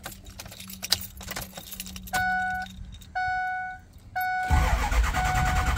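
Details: Ford 6.0 Powerstroke diesel with high-pressure oil problem, after cleaning a scored component and reassembly, possible air in system: keys jingle, three chimes, starter churns without a clean catch; hard start, cause not confirmed.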